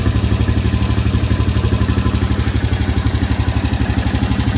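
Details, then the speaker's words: 2015 Honda Rubicon 500 IRS ATV after first top-end rebuild, at steady idle: fast even clatter about four per second over low thrum, noisier than before; valves suspected set a little tight, cause unconfirmed. "sound a little noisier. It wasn't doing that before."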